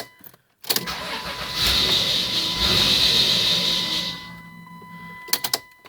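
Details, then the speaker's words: 1996 Dodge Grand Caravan SE 3.3 V6 automatic: after priming, the engine catches after cranking, runs rough about three seconds, then dies and won't rev, engine light flashing; owner suspects clogged fuel filter or unflashed replacement computer. "and then it dies quickly and it I can't even rev it or do nothing."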